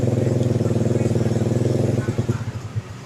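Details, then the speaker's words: Early carbureted Honda Beat after disassembling and refitting wiring (loose connection suspected): electric start, even low thumping at about four beats a second, steady and clean; engine runs normally. "Coba kita starter. Nah, tuh. Nah, kan motor normal."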